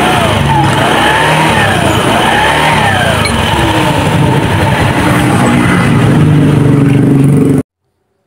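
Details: Honda Beat FI K44 scooter with the CVT cover off, test run after replacing the worn roller housing and rollers that caused the noise: engine revs smoothly with no rattle or knocking from the pulleys.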